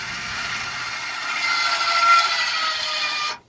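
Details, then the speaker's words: Stabilizer jack motor on a 2016 Forest River Wildwood 30kqbss travel trailer runs with a smooth, steady high whirring drone that rises slightly under load, then stops cleanly: normal. Stop when the motor slows; don't overextend, since stabilizers are not levelers. "Once you start hearing the motor slow down a little bit, that's right about the point you want to go ahead and stop."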